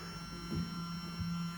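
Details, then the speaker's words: Previously seized fuel pump from a 1991 Suzuki Swift 1.6 AWD saloon, removed and run on a jump pack: steady low electric hum at even pitch. It now runs normally, though a new pump is still being considered. "running and before that was frozen but maybe still be worth getting a new one just to see"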